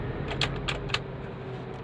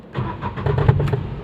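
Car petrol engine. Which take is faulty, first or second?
second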